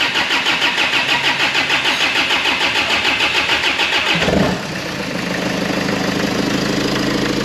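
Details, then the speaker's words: 2011 Range Rover Evoque 2.2 after engine failure repair, injectors refitted, no exhaust fitted, some pipes disconnected: about four seconds of brisk regular cranking, then fires at once and settles to a smooth, even, loud idle; normal start. "starts beautiful right well I I've got a few pipes disconnected one thing or another but it is up and running"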